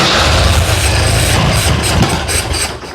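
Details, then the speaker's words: 1963 Jeep CJ5 unrun for 25 years: catches and runs rough for a few seconds, then sags and dies; no fuel being delivered, fuel pump not working. "Well, the good news is it runs. Bad news is we weren't getting any fuel."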